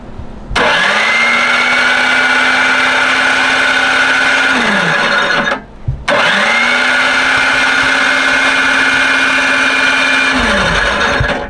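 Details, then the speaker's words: Free snowblower with fresh oil and fresh gas after water in the fuel, choke on and starting fluid used: two even whirring cranks of four to five seconds with no catch; fuel and compression seem good, owner suspects no spark. "Maybe we'll check the spark just to be sure. We have fuel. Seems like we have good compression. So now the only caveat will be spark."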